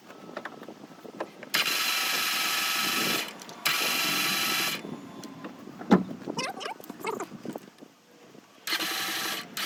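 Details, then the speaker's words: 2015 Ram ProMaster 2.4 MultiAir, stopped starting: repeated fast even cranking bursts with no compression beats, sounding like lost valves or timing chain; chain looked fine, trapped air in MultiAir valve actuator keeping valves shut, fixed by bleeding while cranking. "Ese, que ya no arrancó, pero no solo ese, sino que se escucha como si el vehículo no tuviera compresión, como si se hubieran ido las válvulas o la cadena de tiempo."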